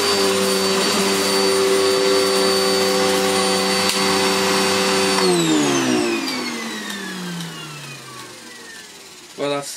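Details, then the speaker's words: Electrolux Filtaire 1600W vacuum after stripdown, repair and refurbish: steady, even high motor whine with no rattle or flutter, then smooth wind-down when switched off; motor healthy, picks up everything. "really good that's and it's picked up everything it is yes that's really cool"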